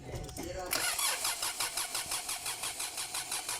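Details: 2009 Kia Sorento CRDi diesel cranking with the high-pressure fuel line loosened to check pump output; even rhythmic cranking about three beats a second, never catches; crank no start.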